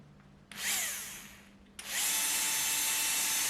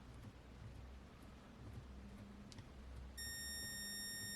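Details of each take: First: Würth 3/8in cordless impact wrench motor tested alone on a bench supply, drawing about 5 A with very low winding resistance: clean spin-up to a steady high whine with no grinding; motor good. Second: Würth 3/8in cordless impact wrench, greasy PCB, on trigger pull: two bursts of steady high whine with no motor spin, then smoke and a hot heat sink; possibly a shorted drive MOSFET stalling the motor.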